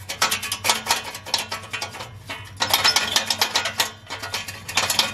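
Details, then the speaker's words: 2012 Toyota Prius V (ZVW40R) 1.8L 2ZR-FXE hybrid, rattle heard at idle, shaken by hand with the engine off: tinny metallic rattle in bursts from the top exhaust heat shield, whose two metal washers are worn inside, loosening the mount. "We can hear some rattle, so the metal noise."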